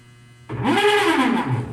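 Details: Whirlpool Xpert System 18 kg top-load washer during the wash: a sudden loud groaning squeal rising and falling in pitch. Clutch and drive components are to be checked; cause undetermined.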